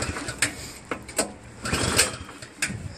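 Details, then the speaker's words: New Craftsman snowblower with a Powermore engine: several pull-cord cranks with compression felt but no firing. Spark and compression were fine; the carburetor was clogged (ethanol), starving it of fuel. "Almost sounds like there's a compression release thing too. So it doesn't start. I personally don't think it's getting any gas."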